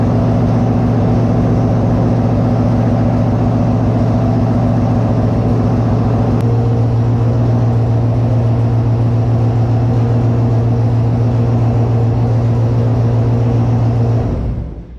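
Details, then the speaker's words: Monaro V8, first start after rebuild with a new Crower 217/226 114 cam, open headers not joined to the exhaust. Loud, deep, even burble holding a steady idle about fourteen seconds, then shut off. Runs cleanly. "It's open headers. The headers aren't joined to the rest of the exhaust, so it'll be loud."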